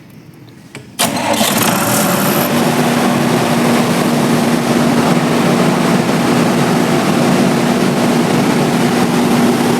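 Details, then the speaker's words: Diesel generator on a three-phase auto panel, started manually to check battery and starter motor: starter catches, engine fires within a second and settles into a steady, even hum; normal start and run, generator fine. "अब हमने stop कर दिया। इससे यह पता चल गया कि मेरा जनरेटर ठीक है"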